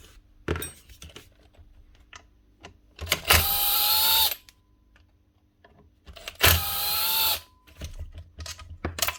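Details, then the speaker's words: Original open bearing (no shield or seal) removed from old Makita 9609B 9-inch grinder, spun by hand: two short gritty whirrs dying away quickly; rough, very dry, worn bearing being replaced. "this one's a we bit rough that one's very dry this is the original bearing as well no metal shield or Rubber seal on it completely open strange for a grinder"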